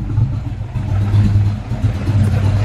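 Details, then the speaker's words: Carbureted Mustang SN95 barely idling, low and lumpy, stumbling and sagging, puffing black smoke after the idle air bleeds were backed off; air-fuel ratio about 10–11 at idle, far too rich. "All right, guys, can you hear how bad it's running? Just barely idling. All right, go back here to the back. That sounds really bad. It's puffing black smoke out too, like it's really rich."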